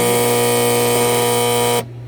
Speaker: see it's making bad noise because of the coil. The coil is stuck.